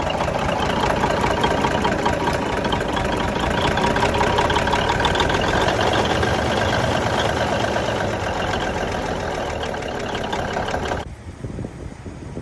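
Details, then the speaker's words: 1971 Peterbilt 352 diesel after clearing water and debris from filter-to-injection-pump fuel line: clattery uneven, lumpy idle near three pulses a second, then shuts off; misfire at idle, lazy throttle, owner suspects injection pump. "It runs, it's got a miss. I think there's something going on with the pump. The throttle is really lazy."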